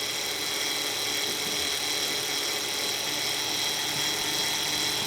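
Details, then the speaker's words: 2004 Hyundai Sonata 2.7 L, engine running after power steering pump replacement and refill: a steady high-pitched whine while the wheel is turned lock to lock to bleed the system, caused by air still left in the power steering fluid. "so we're doing this to bleed the steering system yeah go the other way i mean the noise you hear is because there's still a little bit of air in the uh"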